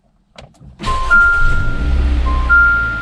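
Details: Jeep Renegade right after installing a new Optima Yellow Top battery and reconnecting the negative ground: brief crank, engine fires straight away and runs evenly under dash chimes; normal start.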